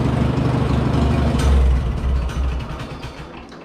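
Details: 1951 McCormick W4 tractor four-cylinder, firing order 1-3-4-2, started after tune-up with new custom ignition wires and spark plugs; low steady chug settling to idle, smooth with no miss: normal running.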